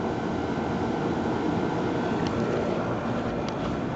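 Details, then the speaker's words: Neighbor's 2004 Trane XB10 3-ton 10 SEER straight-cool A/C in cool mode, Climatuff reciprocating compressor, GE 1100 RPM condenser fan, coils never cleaned: steady loud fan whoosh over a faint even compressor hum; normal running, very good unit. "um and the compressor's quiet the Fan's loud as you can hear all I hear is the fan from back here so all together it's a very good unit"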